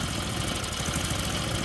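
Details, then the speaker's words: Tecumseh-engine snowblower after a carburetor clean: the small engine runs rough and uneven near full choke with a slight hunting beat, and runs only with the choke partly on, stalling or surging otherwise. A lean, dirty carb is suspected, and a new carburetor will be ordered. "it's also on one click from full choke I'll do full choke and show you guys then if I do Full Throttle on full show or one click from half stroke Ed decides to not run it's not full speed and if I do no choke then it runs good watch"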